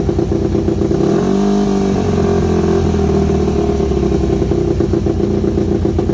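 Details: Yamaha WR250 single-cylinder with good compression, just revived: blips up then settles into a lumpy, uneven beat that won't hold steady; carb needs rebuilding, owner unsure idle jet is fully unblocked, irregular idle.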